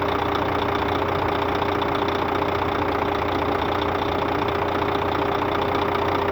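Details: Scania K400 bus, DC13 13-litre 400 hp (at 1900 rpm) diesel at normal operating temperature, customer-reported strange noise: steady idle with regular ticking about 150 a minute and a constant mid-pitch whine; abnormal, source not yet found.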